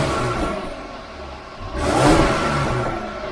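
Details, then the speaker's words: Supercharged Jaguar F-Type, stationary revving with the stock air filter before fitting a RAM Air induction kit: clean blip that swells and falls evenly, supercharger not audible, no rattle; healthy. "so there you go that's what it sounds like before you can't even hear the supercharger"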